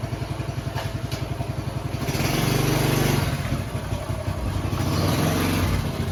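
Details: Honda Chaly CF50 single-cylinder, revived after long storage with oil changed and carb cleaned, putters at a fast even beat, rises smoothly on throttle and settles back; running cleanly.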